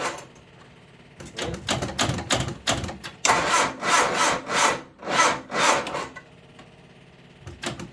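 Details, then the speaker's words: 1978 MG Midget, 4-speed manual with side-draft carbs, neglected for years: slow, labored, uneven cranking that never catches while the fuel pump runs; owner suspects the small jump box isn't giving the starter enough power, unconfirmed. "Doesn't sound very happy. Alright. I don't think my little jump box is putting out enough power to turn it."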